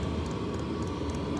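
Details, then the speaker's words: Chinese diesel air heater for Sprinter van, bench test in workshop after startup ramp-up; steady burner roar with soft fuel-pump tick three or four times a second, blowing hot air; normal running. "After that, the excitement of the startup is now just blowing straight hot air. It's perfect."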